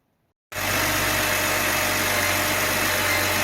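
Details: BMW X3 E83 just after ignition coil pack replacement: engine settles straight into a smooth, steady idle with an even tone and no stumble or miss; sounds healthy.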